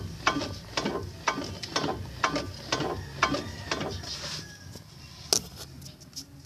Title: evo 7 clunk sound